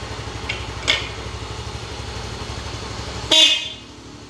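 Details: Used aftermarket horn from a previously sold motorcycle, tested before a horn relay is fitted on a Yamaha Mio M3 scooter: two sharp, bright honks over the quiet idling scooter, clear and full with no rasp or dropout. Horn works properly.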